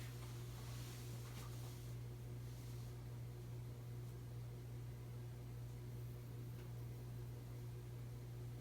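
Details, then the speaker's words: 52-inch Emerson Heat Fan ceiling fan (3-blade, motor dated October 1981) on its original 1982 Emerson solid-state speed control: a quiet, constant low electrical hum under a soft air whoosh. Motor hum from the solid-state speed control. "You might hear that it making humming noise, it's common with solid state speed controls."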